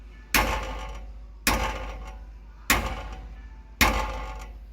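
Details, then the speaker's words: Dodge Ram Hemi with long-tube headers, whose nitrous-pass logs showed knock and pulled timing on the hit. Striking the driver-side long tube gives four knocks, each with a metallic chatter; header tubes sit close and are suspected of rattling together, not the dipstick tube or frame. "don't know if you can pick that up, but it's got like a chatter to it when you shock it. He was telling me most of the time it's either the dipstick tube hitting or a loose header."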